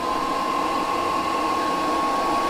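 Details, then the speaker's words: Espar D5E hydronic heater blower in a Sprinter van conversion, wired to run only with the heater on, blowing hot air at start-up: even, steady air rush with a thin constant tone, no rattle or wobble; normal. "so we wired it to where our blower will only work if the heater or the spar um heater is on that way it never kind of blows any cold air out into the van"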